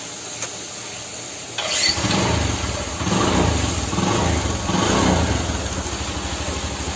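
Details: Bajaj Discover motorcycle after half-engine rebuild with piston, rings, valves, timing chain and clutch plates fitted, fixing white smoke, oil burning and piston knock: cranks and catches quickly, even single-cylinder idle with throttle blips, no knocking.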